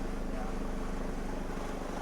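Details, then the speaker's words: Recovery truck's CDI diesel, after the injector fault behind a helicopter-like sound was fixed: a deep, throbbing chop over the idle remains, steady and low-pitched, blamed on the noisy serpentine fan belt tensioner, which is due for replacement. Noisy belt tensioner. "apart from the slightly annoying noisy fan belt tensioner which is next to change it now no longer sounds like a helicopter"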